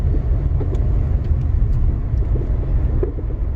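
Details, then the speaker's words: Front suspension on a 2012+ Chevy Sonic, driven slowly over rough road: low rumble with small sharp pops and ticks, mostly right side, also heard wiggling the steering wheel; suspects strut, mount, ball joint or sway bar; worn sway bar link. "Mostly on the right side, what's making that noise, and it's kind of annoying. So that's up and down motion. It could be the struts, upper mounts on the struts, bolt joint, or it could be a sway bar."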